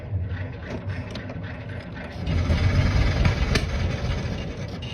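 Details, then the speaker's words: 1922 Ford Model TT hard start after the spark advance was left pulled fully down: slow, even chuffing about four beats a second while cranking without catching. Owner suspects it is slightly flooded and needs more air; spark moved back to the middle. "Yeah, it's going to be a little flooded. Tell you what, let's see. Maybe it's cooled off a little bit and it needs a little bit more air."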